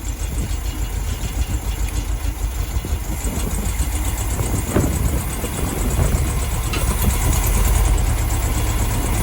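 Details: 1972 VW Beetle 1200 engine, first run in about two years, warming up: lumpy, uneven idle stumbling roughly three times a second, not firing on all four cylinders, which cylinders unknown; misfire.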